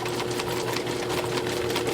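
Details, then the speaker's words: Drain machine cable run nearly its full 50 feet into a house sewer line after saw blades cleared the clog: even motor hum with a steady tone and light rhythmic whir, no binding; the cable is spinning freely. "I mean she's just she's happily running on Down the Line there it's not binding up anymore it's just feeding it out and nothing is backing up anymore"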